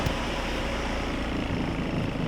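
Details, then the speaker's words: B20 CRV-engine-swapped Civic Wagon RT4WD, warm: after a battery disconnect overnight and ignition timing set to 16 on the crank pulley mark, it holds a steady, even idle around 850 rpm (target 750) with no hunting or surging. Idle fixed. "you guys I think we're good I mean it's not right at 750 but it's like like 850. this is we fixed it we fixed it"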